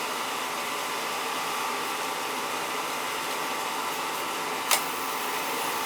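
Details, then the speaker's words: Oil-fired boiler with Tjernlund power venter, not firing: only the venter fan's steady airy hum, no burner motor or flame roar; burner motor first suspected, CAD cell doubted; actual fault a vacuum switch. "Might have a bad CAD cell, but I don't think so. It was the burner motor. Got a bad burner motor there. She's not running."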